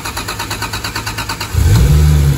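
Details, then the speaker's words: Toyota Mk4 Supra 2JZ-GE-T with turbo, XS manifold, custom downpipe and intake manifold, after fuel pump priming: starter cranks in quick even pulses about 1.5 seconds, then catches cleanly into a strong steady idle; normal cold start. "wow look at that cold start freaking beautiful guys"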